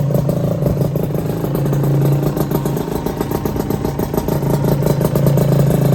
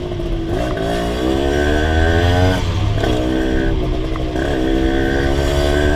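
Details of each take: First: Honda LS125 two-stroke single, after full engine rebuild, cold start without choke: catches and settles into a rough, burbling idle with slightly uneven pops; normal cold idle, sounds healthy. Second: Rebuilt Honda LS125 two-stroke riding through the gears: revs rise and fall, uneven in the middle revs while low and high speed are fine; owner suspects carburation, and possibly gear ratio, behind the mid-range hesitation.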